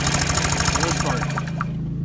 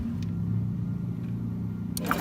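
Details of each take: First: Honda Metropolitan scooter with its original spark plug: quick, even cranking pulses, about seven a second, that stop without the engine ever catching. A no-start caused by a fouled spark plug. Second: Honda Metropolitan scooter after replacing a fouled spark plug with a new one: quiet spell, then catches at about two seconds and settles into a quick, even putter; starts cleanly.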